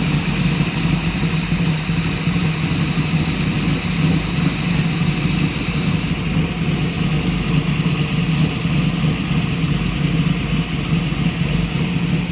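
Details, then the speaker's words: 1965 Mustang V8 after overheating fix and new fan shroud, idling: steady strong rush of cooling-fan air over a smooth idle, no rattles or rubbing; normal cooling fan operation. "So let's fire it up, and I want to show how aggressive these fans are and how well and you can see the airflow. Okay. Well, not see it, but hear the airflow."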